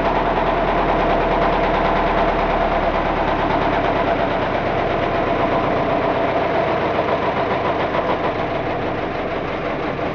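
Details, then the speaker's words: Car engine run deliberately without oil or sump, already on old thin oil, con rods reaching 150-160 °C. Hard regular knock about three times a second over rough mid-pitched clatter. Cause: rod bearings oil-starved, fretted and welded onto crankshaft. "Bearing.. it's fried onto the crankshaft Look, those aren't seized See those grooves!"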